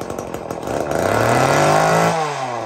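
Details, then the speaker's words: Old Homelite Super 2 chainsaw, just rebuilt with a carburetor kit: rough popping start, then a clean rising wail that holds steady and eases back smoothly: normal two-stroke running. "Well, I just finished putting a carburetor kit in this thing. And I'll say we get set up and see if this thing will run and what it sounds like."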